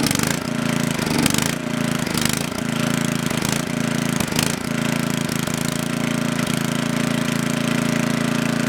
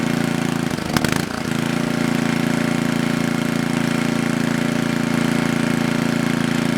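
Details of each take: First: Coleman Powermate Maxa 5000 ER generator on half choke: engine note rises and sags in uneven bursts as governor hunts, fuel-starved with choke fully open. Lean running surge, suspected carburettor needing cleaning. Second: Coleman Powermate Maxa 5000 ER generator after draining carburettor and adjusting the bottom fuel mix screw: steady, even drone at governed speed, no hunting or surging. Fixed, fault was the mix screw.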